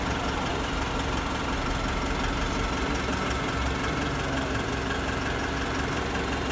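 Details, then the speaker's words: 2012 Nissan Pathfinder/Navara Euro 5 diesel after new injectors, previously overfuelling and smoking: steady, even tick-over with no misfire or knock; normal idle, though DPF light stays on, regen fails and it later enters limp mode. "So we've replaced the injectors with new, and now she's on running over and ticking over absolutely perfect."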